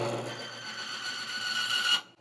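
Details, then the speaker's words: Bearing lock-up load test with Honda GN4 10W-40 oil pumped over the bearing: harsh high scraping screech builds about two seconds then cuts dead as bearing seizes at about 25 ft-lb; oil film breakdown. "we're going to go ahead and we're going to run this again and see how much more force it takes to lock up this bearing"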